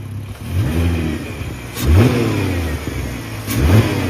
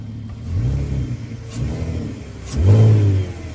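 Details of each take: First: VW/Audi 3.2 V6 R32 donor engine, 155k miles, still cold, given three quick revs from idle: pitch climbs and falls cleanly, even note, no clatter or misfire; healthy. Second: Audi 3.2 V6 quattro donor, 155k, cold start: loud, open, chuffing rumble with short blips from a blown exhaust; no dash lights.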